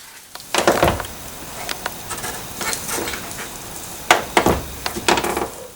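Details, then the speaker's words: 1992 Mercedes R129 SL door, door panel removed, with the door check strap treated with silicone/lithium grease. Short creaks and clicks in bursts as the door swings, quieter than before greasing: worn door check nearing the end of its life. "so you can hear that i mean it used to be a lot worse than that but i threw the silicone grease in there kind of improved it a bit"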